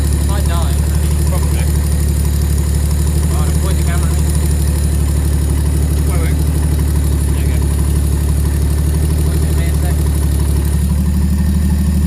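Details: Freshly built 400hp RB25 turbo Nissan S13 on Power FC, newly running after intake manifold refit: deep, even idle with a steady low hum, no hunting or stumbling; running right.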